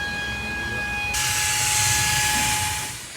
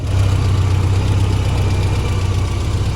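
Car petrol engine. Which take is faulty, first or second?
first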